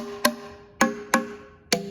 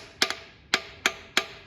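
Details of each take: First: 1956 Chevy 265ci power pack barn-find engine with the exhaust manifold off, turned by hand: a sharp, hollow-ringing tap on a valve through the exhaust port about once a second. The hollow sound means the valve is free and moving. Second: 1956 Chevy 265ci barn-find engine with the exhaust manifold off: tapping through a port gives four sharp, dead metallic taps with no springy rebound. This is the only stuck valve found, an intake valve stuck down; the engine was only rotated by hand.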